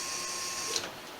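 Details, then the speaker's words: Silverado fuel system upgrade, Deatschwerks stage 1 pump, tank full and primed: steady high-pitched electric whine with even hum, dropping away after a moment; pump running normally and sending fuel to the engine. "So this tank is full and we're good to go. And so now we can actually power up the stage 1, and we are sending fuel up to the front of the engine"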